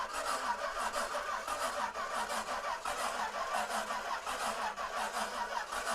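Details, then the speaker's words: 1937 Buick Century convertible, unstarted for years, twin Carter carbs on an Edmunds manifold: the starter churns at about three turns a second and slows as the battery runs down, never firing; no spark suspected. "it's like we don't have any fire but the switch is on huh so it says that the electrical so you can hear the bat you can hear the starter slowing"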